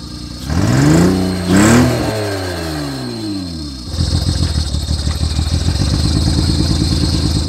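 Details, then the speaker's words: 2006 Honda Pilot after the fuel pump was pulled and a crud-filled fuel filter found: a rev sweeps up and falls back, then a choppy, uneven idle pulses. It now runs better at low rpm but is really shaky when revved. "running a hell of a lot better well at low rpm when you rev it it's really shaky"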